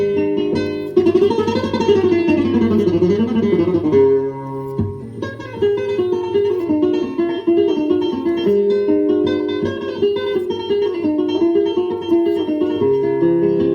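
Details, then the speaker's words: Tandberg Series 15 four-track reel-to-reel after repair and service, playing classical guitar music: notes ring clean and hold their pitch with no wavering. Tape transport steady, no wow or flutter. "That's perfect. No wow and flutter. It's perfect."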